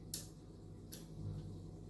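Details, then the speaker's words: Relay on locktronics training board clicks twice as switch closes over faint hum, but lights stay off; click shows relay power and ground okay, load circuit fault. "you can actually hear the clicking so our relay this time is clicking but nothing is happening the lights are not coming on still"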